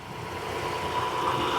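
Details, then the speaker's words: Abandoned 1966 Ford F5 truck just revived, choke halfway: soft, even idle that smooths out and holds steady with no ticking or valve noise, likened to a sewing machine; idles cleanly. "My grandmother used to have a Singer sewing machine that sounded just like that it is amazing that sounds great I know there's like there's no there's no valve noise no no"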